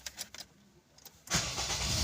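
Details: Honda (Civic, Accord, Fit or CR-V 2001–2011 family) after crankshaft position sensor replacement for code P0335 crank-no-start/hot hard start: brief starter whir, catches within about a second and runs steadily; normal start.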